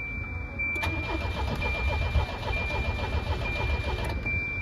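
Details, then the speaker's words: 1988 Volvo 240 DL, abandoned and being revived, new fuse fitted: starter cranks steadily about three and a half seconds, engine never catches, and no fuel pump hum from the rear; fault later traced to a faulty fuel pressure relay. "that means that circuit is probably not dead well it kind of is because I'm not hearing anything come to the back"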